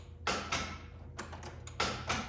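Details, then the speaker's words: S54-swapped BMW E36: starter won't rotate the engine, only sharp single clicks a few per second at uneven spacing; owner plans to check grounds and power. "Alright, so I'm still having the same issue. The starter is not even trying to crank over the motor right now. All I get is this, which is it's a clicking noise."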